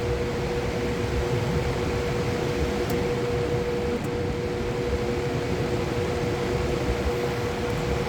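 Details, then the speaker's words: Fan run on a Ryobi 120V 120W modified sine wave inverter: steady loud hum over the airy rush, because the motor expects pure sine power; no hum on a regular 120V outlet; owner guesses it won't harm the fan. "That's because the reason it sounds, you can hear that hum, is because the fan normally works in a pure sine wave, and this inverter is a modified sine wave, so it causes the fan to sound like that way it sounds."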